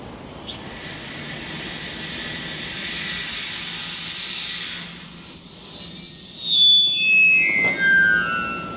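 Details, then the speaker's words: Shop air regulator with valve partly closed restricting flow: loud piercing high whistle holding steady then sliding down in pitch as flow eases; restricted-flow regulator whistle, not a fault. "I have the valve kind of closed so it restricts the flow so it makes that whistle noise"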